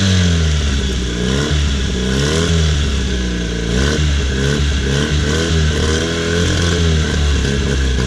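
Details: Honda 9.9 outboard that wouldn't start after sitting (only fired on starting fluid), after cleaning plugged carburetor main jet: revs up and settles repeatedly, pitch rising and falling cleanly with throttle, no stumbling; running pretty decent.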